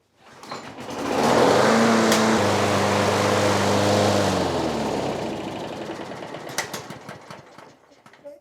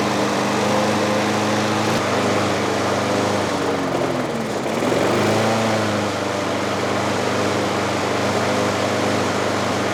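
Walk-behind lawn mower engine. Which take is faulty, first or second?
second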